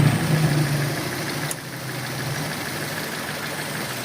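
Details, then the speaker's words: Mitsubishi Lancer petrol engine idling unevenly, shaking, with an irregular pat-pat misfire stumble. "Bugünkü aracımız Lancer aracımızın tekleme sorunu var. Bunu nasıl çözebiliriz?"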